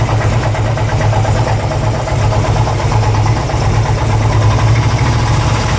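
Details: 2002 Harley-Davidson Ultra EFI Twin Cam: a loud, steady V-twin idle with a faint repeating tick over the low thump. The owner cannot identify the cause of this abnormal engine noise.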